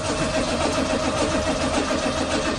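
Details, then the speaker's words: 1985 Chevrolet Corvette C4, sat about 2–2.5 years, after reseating the battery terminals: even starter cranking with a steady chug that never fires. It turns over but won't start; the owner suspects no fuel. "i would think that she should try and start by now no fuel huh [Music] hmm well that's not good it's just turning over"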